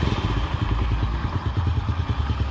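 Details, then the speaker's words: Honda Astra Star small single-cylinder motorcycle, not yet warm, idling after fixing a clogged oil pump that wasn't sending oil up to the head: even low thump, top-end clatter gone, valvetrain smooth; normal idle. "Tuh ya, suaranya jadi halus ya teman-teman, halus. Jadi gini teman-teman, ini kan sudah halus, biarkan dulu sampai panas."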